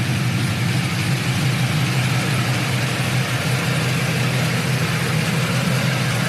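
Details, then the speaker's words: 1999–2006 Silverado/Sierra V8 after head gasket replacement and BTR Stage II truck cam install, single-in single-out Flowmaster exhaust; deep, choppy idle with a steady rhythmic cam lope and crunchy tone, clean with no knocks or misses; normal lopey cam idle. "steady i don't know if you guys can hear it but we lopping we are loping [Music] hear that crunchiness oh man that's only single in single out flowmaster effect imagine if i ran through duels but this thing sounds killer"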